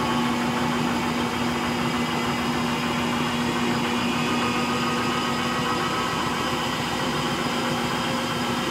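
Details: Frigidaire Gallery front-load washer, model GLTF1670AS1, starting its final spin: a steady droning hum with a constant low tone and a mild rough rumble underneath. Bad motor bearings.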